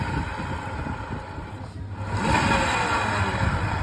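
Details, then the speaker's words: Scooter that arrived not rideable, with a cracked drive belt and a very dirty air filter; rough, gritty grinding rising and falling as the rear wheel is spun by hand, from a broken rear clutch bearing, heard as whining while riding. "ครับนะฮะก็คืออ่อลูกปืนชุดคาหลังแตกด้วยนะครับก็อาการเนี้ยเวลาขับไปเนี่ยจะมีเสียงค้างเสียงวิจากเครื่องยนต์ขึ้นมาก็คือเป็นเรื่องของลูกปืนคลาดเนาะ"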